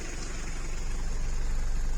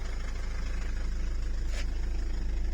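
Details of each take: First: Mitsubishi Delica/Pajero 2.8 diesel at low idle, heard from the cab: lumpy, shaky rumble with rattling vibration that goes away with slight throttle; slack throttle cable to be snugged up to raise idle. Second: Mitsubishi Delica/Pajero 2.8 diesel idling, foot off pedal, after tightening a slack throttle cable and adjusting idle speed: low, even chug with steady pulse; previously the whole vehicle shook.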